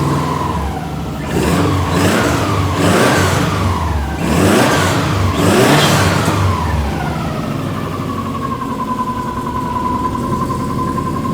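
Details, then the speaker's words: 2003 Subaru Impreza WRX, rebuilt engine after being bought locked up, first-ever start with no coolant in: catches instantly, even idle, three clean smooth blips; healthy normal start and rev, coolant burning off. "boom guys and just like that that was legit had not tried anything instant first start it freaking started so there you go"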